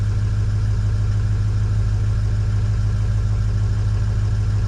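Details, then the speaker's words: Ford 6.0L Powerstroke diesel, suspected high-pressure oil leak with long crank, running about 5 minutes and purging air: steady loud idle with even low clatter, slight popping, no knocking; normal idle. "She's popping a little bit, getting any of that air out of the system."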